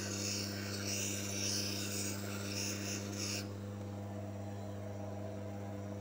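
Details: Manual lens faceting machine: steady gritty rasp over a constant motor hum for about three seconds as the lens is bevelled on the spinning stone, then just the smooth hum; normal V-bevel pass.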